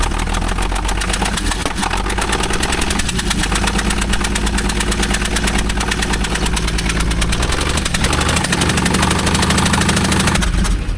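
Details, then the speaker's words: Allis Chalmers 5-cylinder forklift engine with one spark plug missing: uneven, lumpy idle with rough chuffing puff from the open dead cylinder; misfire. "So guys, the noise you're hearing is we don't have a spark plug in this dead cylinder. So it sounds like a gnarly tab, but this thing is running."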